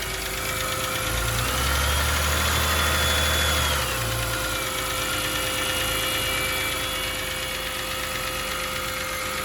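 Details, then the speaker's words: BMW engine started cold, flaring then settling to idle with a light fast tick about three a second, which appears after long idling; revving above about 3,500 rpm on the motorway reportedly clears it. "it makes a ticking noise or if you you know leave it at idle for a long time it starts making a ticking noise just like now we'll just turn it on so as you can hear that ticking noise"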